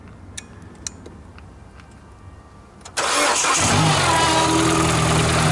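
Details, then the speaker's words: Mini race car with a dead battery jump-started using a Microstart XP-10 pocket jump starter after boost and protector reset: quiet clicks, brief crank, catches at once and settles into a loud, steady idle; normal engine start. "so just timed out you can hear it clicking so i have to unplug it and plug it back in it's just a little protector all right we're all hooked up we got plenty of power in the xb10 go ahead kristen hit it"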